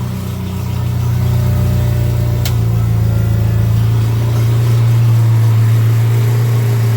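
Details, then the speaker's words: Dodge Daytona stock car, rebuilt engine on the tuned computer (EGR and EVAP cancelled, more timing, more aggressive fuel map, canned tune): strong steady drone with an even beat and pop, no knock or miss, cooling fan running; sounds healthy. "It's just a canned tune, I think that's what they call it, but I mean, you can hear it, it's got some pop. Oh, I forgot to make sure the fan works."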